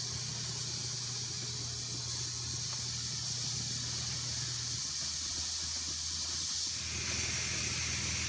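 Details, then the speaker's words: Pressure canner heating, vent on exhaust before display shows E10 countdown and switching to airtight: soft, steady, unbroken hiss of steam from the vent, condensation building; normal venting. "Countdown continues. You can hear the steam. It seems pretty steady. Got some condensation building."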